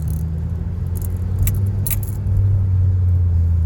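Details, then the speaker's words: 2011 Volvo C30 T5 R-Design with Simons exhaust, driving slowly in first gear in a parking lot: a low steady drone with buzzing and rattling, louder beside a wall. The rear muffler is suspected. "You'll hear it more when I'm against the wall. I can't really explain it. It's like a buzzing noise, a rattling."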